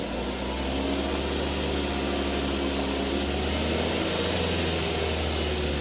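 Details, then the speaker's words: Mazda3 after AC line, O-ring, compressor bearing, dryer and expansion valve replacement, engine revved: steady even hum, no grinding, rattle or bearing whine; compressor cycling on and off normally. "พร้อมทำงานค่ะมีคำตัดนะคะคอมแอร์ตัดต่อปกติคะ"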